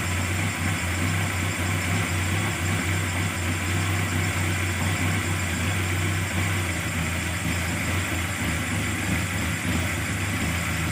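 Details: Carburetted engine after fixing hard starting, misfire and power loss by opening the solenoid valve and removing its needle, with the carburetor then adjusted; starts immediately, steady even low drone, no misses, knocks or hunting; normal idle.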